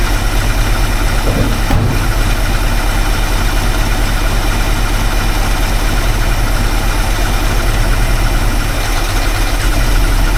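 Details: Small-block Ford V8 after new Pertronix Flamethrower distributor install, timing being set with timing light: uneven lumpy idle with a shaky beat about three per second and a harsh squeal on top; rough running, owner feels something's not right.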